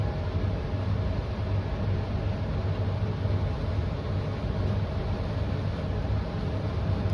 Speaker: can hear it struggling a little. It's making that light flicker. But then it, if we do wait long enough, it kind of just I guess shakes itself free.